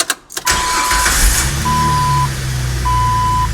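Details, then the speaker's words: Engine started just after an oil change with 6 quarts of 10W30; quick crank and catch, then a smooth even idle with an intermittent chime beeping, oil pressure climbing, engine runs cleanly. "Oil pressure is climbing. That's great."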